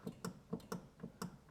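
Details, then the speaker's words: Audi S6 parked for months, front wheel rocked by hand: sharp metallic clacks about four a second from steering play, first suspected tie rod end; the whole steering gear appears loose at its top mounting bolts. "Also irgendwas klackert da so extrem, als ob ein Spurstangkopf ausgeschlagen ist."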